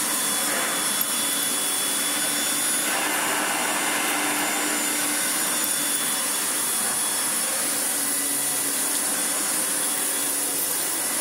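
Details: Hoover Turbomaster U5078 after restoration with new genuine Hoover fan, original bearings and one new brush roll bearing, following motor coil wire damage from an unbalanced fan: even high-pitched fan roar, steady tone, no wobble, rattle or scraping; runs normally.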